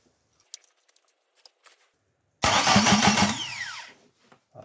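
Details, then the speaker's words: Ford Escort MK1 with Zetec engine being adapted to an MX5 NA gearbox, starter test fit: quick whirring burst with cranking pulses lasting about a second. The pinion throws onto the flywheel, spins and retracts; normal engagement. "okay so that's a good start so we've got the flywheel pinion wheel is is jumping out onto the Flywheel spinning and then jumping back again so we're pointing in the right direction already so that's a good start"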